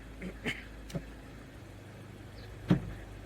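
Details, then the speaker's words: 2017 Mazda 3, 6-speed SkyActiv-Drive automatic (FW6A-EL), just after a transmission fluid and filter service and warm-up: steady low idle with dull thuds, then a solid clunk when shifted from drive to neutral, a harsh engagement that did not recur. "When I pushed it from drive to neutral, did you hear that clunk?"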